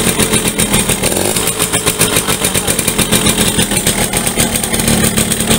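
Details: Yamaha V75 two-stroke, weak and struggling uphill, rough when hot: running rough and choppy with a dry rattling knock over the buzz; mechanic suspects loose worn piston needing oversize, and an aged connecting rod.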